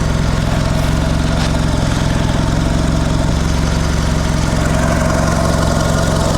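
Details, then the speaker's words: Mitsubishi Lancer CE two-door coupe, first start after reassembly and battery reconnection: low idle with an uneven, lumpy pulse, seeming rougher than before; owner unsure if improved, wonders about more airflow. Rough idle. "I don't know if it's better or not yet not really actually seems to be running rougher"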